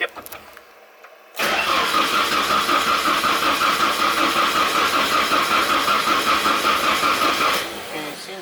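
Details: Drift truck at its first start-up attempt, with fuel pump switching and a crank sensor being checked: about six seconds of slow, even cranking that never catches; spark is checked next. Crank no-start.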